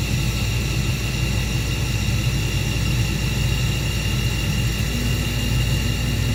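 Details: Old Carrier 58SSB natural gas furnace inducer motor running normally: a deep, even rumble and smooth whir with no knock or buzz. The furnace's vibration noise was traced to worn motor mounting grommets, not the motor or wheel.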